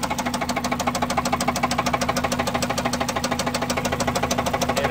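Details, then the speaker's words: Honda Civic EP3 Type R K20 engine idling after concrete was poured in, red oil light constantly on: hard rapid regular knocking over the engine note, badly knocking bottom end. "I've just poured some concrete into the car and so far nothing the red oil light is constantly on now which was more than it was before and it still sounds really terrible"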